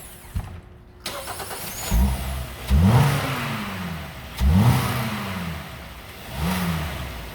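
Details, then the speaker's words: Hyundai 2.4L engine, first start after an engine transplant: cranks briefly, catches cleanly, then three or four smooth throttle blips that rise and settle evenly; engine running healthy. "That's success. Look at that. Nice. She's purring."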